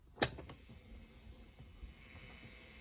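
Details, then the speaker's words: 1960s Electra TC-505 reel-to-reel recorder, play engaged with tape removed, volume up: click, then faint steady hiss; amplifier's own noise low and normal, earlier noise attributed to tape. "there's a little bit of hiss right there but not a lot"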